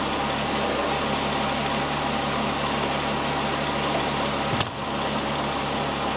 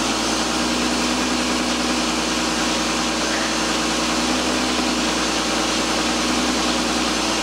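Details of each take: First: 2001 VW Jetta GLX power steering pump at idle after bleeding, belt reinstalled, steering turned lock to lock: steady hiss, no whine or groan, reservoir fluid clear with no bubbles or burping, no leaks; pump quiet after bleeding. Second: 2001 Volkswagen Jetta GLX idling after bleeding the power steering system; the pump gives a steady low moaning whine because a little air remains in the fluid, which is typical after bleeding.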